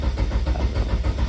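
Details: SRT4 engine swapped into an Eagle Talon/Eclipse on a MegaSquirt ECU with a Hall crank sensor. Steady rhythmic cranking chug at about seven turns a second, with no firing. The crank position sensor loses sync, so it cranks but won't start.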